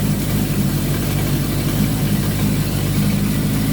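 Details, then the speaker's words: Suzuki GS1000 idling cold with the choke still partly on during a carb sync: a lumpy, uneven pulse, and the vacuum gauge on the low scale shows the carburettors uneven. "Okay, so on the low scale, this is where you're at. This is how uneven your bike is, but the choke is on."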